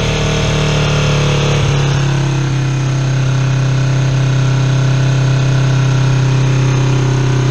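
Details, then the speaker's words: Kawasaki EX250 Ninja twin after carburetor cleaning, rich fuel still burning out of the pipe; idle runs high when turned up, then sags and wants to stall when turned down, never holding even. Idle (pilot) mixture screws are out of adjustment. "you see how when I turn the idle up high it'll run real high and then if I turn the idle down a little bit it'll come down and then want to stall and I can't find that good balance"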